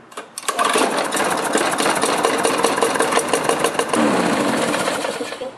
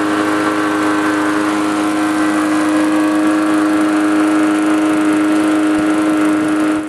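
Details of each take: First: Lawnmower starting: rattly, clattering knock at start-up and uneven running without speeding up properly, caused by a partly sheared flywheel key; key then replaced. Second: Small petrol lawnmower after replacing a sheared flywheel key: engine runs fast and steady with an even buzz, without the earlier knocking at start-up and the slow speed-up.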